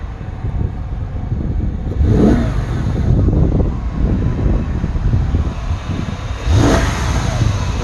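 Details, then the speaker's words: Mercedes-Benz engine not fully warm (60°C), serpentine belt and pulley work underway: loud rumble rising twice with revs, no distinct knock; owner fears internal bearing, balance shaft or timing chain problem, or belt-drive friction. "but i think this engine's still making too much noise i'm starting to get worried that it's maybe uh an internal like bearing issue"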